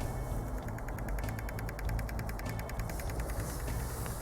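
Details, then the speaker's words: Common-rail pressure control valve of a 2.0 diesel engine, checked for code P0088 and driven by a pulse generator from 2 ms up to 18 ms (39% duty): faint, rapid, regular ticking of ten or more per second over a low hum; the valve responds normally. "natomiast jest to bardzo ciche ale Niemniej jednak będzie słychać jego pracy"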